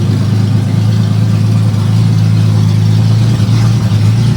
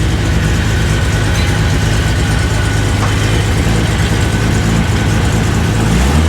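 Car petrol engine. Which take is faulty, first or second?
first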